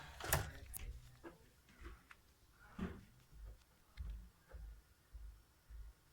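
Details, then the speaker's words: Xbox One S console, disc inserted: clunk as the disc pulls in, then soft, evenly spaced whirring pulses as it spins up and reads; normal load, unlike an Xbox 360 disc that makes weird noises and won't read. "So, when I insert this disc, this is what it should sound like."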